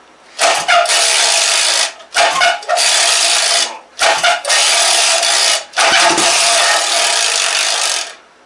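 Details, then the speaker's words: 1956 Johnson Sea Horse 18 hp outboard, revived, leaking, not on its own fuel supply: four short two-stroke bursts, each running a second or two then cutting out; starts then dies, fuel supply suspected. "It only runs for a second, but it runs."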